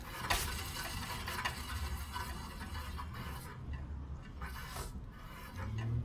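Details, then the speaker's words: Hyundai Elantra rear wheel spun by hand, not turning freely: raspy, scraping rub surging each revolution from a rusted brake dust shield dragging on the rotor. "as you can hear I have a noise in my rear uh rear tire on my Elantra now I'm going to check and see what the noise is coming from"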